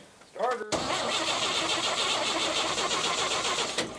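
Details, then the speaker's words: 1959 GMC truck after exhaust manifold work: starter whirs and turns the engine over steadily about three seconds without firing; choke checked as working and owner suspects the fuel pump is not pumping; crank, no start. "Is the choke not choking? Choke is choking. Ah! Fuel is not pumping!"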